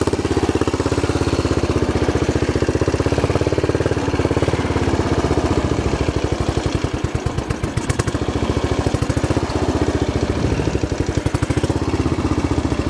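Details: Royal Enfield single after stripping and cleaning, needle level readjusted; rough idle with uneven thumping, stumbles and coughs around seven seconds; revs sometimes hang high, mixture screw very sensitive; owner suspects air leak or blockage.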